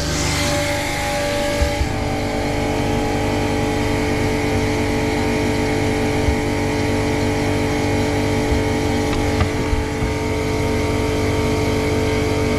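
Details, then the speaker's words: Boat watermaker (desalinator) start-up, needle valve open: water passing through the high-pressure pump, purging air bubbles; steady low constant-tone hum, rougher at first, then settling. "On entend que ça passe dans la pompe haute pression, donc on élimine un petit peu des bulles d'air."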